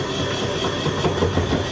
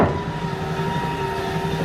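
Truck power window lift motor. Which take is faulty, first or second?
first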